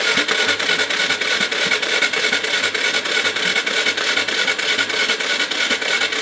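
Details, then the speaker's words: 2005 Yamaha TTR230 dirt bike, once fully submerged and abandoned, cranking: steady fast chuffs about three per second with wet hissing spray each stroke as water blows through the exhaust header and valve; cranking with water in cylinder and exhaust. "yeah so when it you can hear it in the exhaust I guess when it shot it up that you have enough energy to go back in through the exhaust valve yeah this thing was completely submerged at one point no doubt about it"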